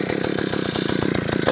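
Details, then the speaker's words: Vevor two-stroke auger, primed and started on choke: small engine buzzes at a fast, slightly uneven beat with a rough, rich note, then dies; owner suspects the choke was still on. "this is it oh it died I probably still had it choked dang it that was very anticlimactic"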